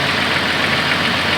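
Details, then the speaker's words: Jeep idling: light quick tapping over a steady idle, in time with engine speed; lifter tick present for the three years owned, not heard when revved. "There's my little lifter tap. I've been doing that. I've had it for going on 3 years. It was 3 years in January. And it's done that the whole time I've owned it."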